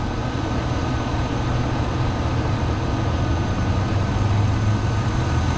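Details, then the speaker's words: 5.3 engine at a dealer auction, idling after a check showing no blow-by and recently changed oil: deep, even idle with a smooth steady pulse and no knocks or ticks, purring and healthy. "i think puppy sounds like it's purring too god damn it there you go all right i think sounds like it's purring too"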